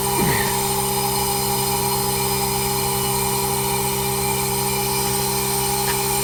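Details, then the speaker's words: Newly installed upgraded heat pump, running after hookup with surge protector fitted: steady, even, barely audible hum with constant tones, no knocks or rattles; operating normally. "Can barely hear the thing running. This fucking thing's nice, man. She's a flipping beauty."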